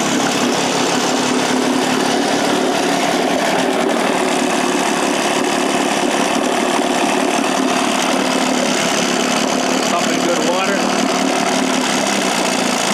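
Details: Johnson 9.5 hp two-stroke outboard, roughly 1966–1972 (listed as 1969), after carb kit fixup, choke used, low-speed unset, unloaded: high buzzy note holding fairly steady speed; a little smoky but runs half-decent, final tuning needs load on lake.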